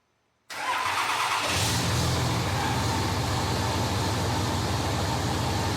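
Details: 2005 Dodge Ram 3500 with 5.9 Cummins, after replacing the seized water pump, the belt tensioner with its melted pulley, and the fan belt: quick crank, then a steady, even diesel idle with no squeal or knock. Normal start and idle.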